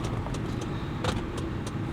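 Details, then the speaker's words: 2004 GMC Envoy after replacing ignition coil pack for P0304 cylinder 4 misfire: steady low idle without stumbles, few light clicks; scan tool shows no misfires, fixed. "all right so that sounds a lot better now let's check the app"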